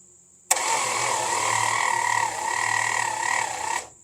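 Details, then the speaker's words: Long-sitting slant six, freed from seizure, cranking with no spark on spin test: starter spins engine evenly about three seconds, never fires; crank no start, owner suspects corroded points not getting power; coil and coil-to-points wire tested good. "yeah nothing nothing all right I'm just going to take the points out because I think that's part of the problem"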